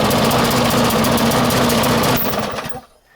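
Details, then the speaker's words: 1996 Murray 20-inch mower, 4 HP Briggs & Stratton, cold start at 3°C after 10 months sitting, bad primer bulb. It pops unevenly and roughly, then dies within seconds: lean, underfuelled. It used to shut down until an idle-raising spring was fitted; it may need spring adjustment. "you might have to adjust the the spring right here uh because this one is not getting enough fuel but i already uh put put like a different spring in there and so it is actually running"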